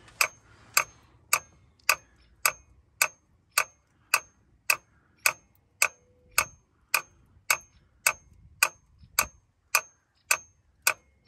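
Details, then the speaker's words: Ford F250 7.3 IDI diesel glow plug system, engine off: crisp, evenly spaced clicks just under two a second; relay repeatedly clicking, owner suspects a long-failing glow plug relay and some glow plugs out, not confirmed. "yeah see it's just clicking there's cool plugs better the relay is bad yeah the relay must be bad and there must be some globe plugs out"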